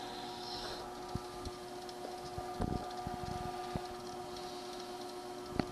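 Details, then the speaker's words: ProForm Crosswalk Advanced 525x treadmill, over 25 years old, running after its roller was cleaned: scattered sharp ticks about once a second over a steady motor hum. The noise is less than before but has shifted to mid-deck, cause unknown. "the noise backyards almost the same as in the front noise back here it's almost the same as the front take a listen"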